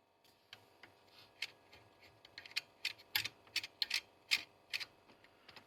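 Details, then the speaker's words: Early-2000s JVC HR-DVS2 S-VHS/miniDV combo, miniDV cassette inserted: sharp, uneven ticks two or three times a second over near silence. The heads make an odd noise; owner suspects a head-area part, unconfirmed. "c'est marrant les têtes elles font un bruit bizarre"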